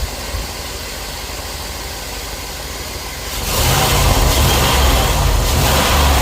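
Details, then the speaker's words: Petrol engine after misfire repair (cracked ignition coil with spark tracking replaced, new cap, rotor, spark plugs and wires): idles evenly, revs up cleanly and holds higher speed without stumbling; normal idle and revving. "Put a new coil on. No more spark tracking. Cap rotor. Spark plugs, new wires. Got that misfire taken care of."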